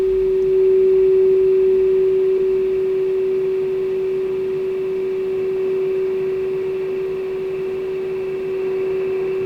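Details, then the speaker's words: Kenwood TS-430S powered on after 10+ years in storage: clean, steady single tone at constant pitch over quiet hiss as signal is lowered toward -137 dBm, still barely audible; receiver passes signal normally. "Just barely hear the tone still. I can still hear the tone."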